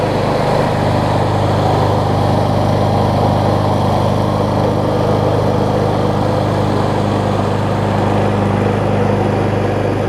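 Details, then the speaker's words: Gardenway-made Troy-Bilt self-propelled push mower after a height-adjuster fix and self-propel cable adjustment. It runs smoothly with a steady drone, mostly thanks to a near-new universal blade. "so you can hear it's running a lot better now and that's mostly because i have the a much better almost new blade on it"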